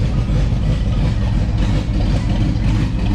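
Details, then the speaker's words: Ford Mustang project at idle after a fuel cell install and tune-up, with straight dual exhausts planned: a steady, deep rumble with an uneven puffing edge on each beat; otherwise it runs really well. Exhaust leak. "apart from the exhaust leak it runs really well this is still hideous but we're going to fix that"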